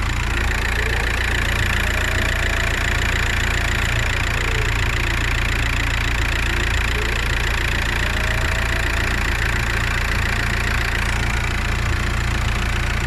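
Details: Turbocharged engine at idle: faint thin whistle rising and falling over steady idle, sounding like the turbocharger; cause not confirmed.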